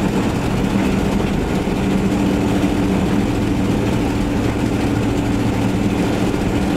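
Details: Van test-driven before repair: loud, raspy low rumble under steady driving, harsher than a sealed exhaust. Later traced to a bad exhaust donut gasket, both mufflers rusted out and a rusted tailpipe section; exhaust leak.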